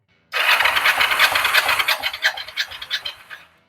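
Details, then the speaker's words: Kawasaki Vulcan 500 twin compression test, throttle wide open, before valve adjustment: brisk even cranking, regular pulses about three per second; this cylinder reads 9.5 kg, normal compression. "Oye estamos estamos en 9 kg y medio este cilindro al menos está perfecto vamos a ver el otro"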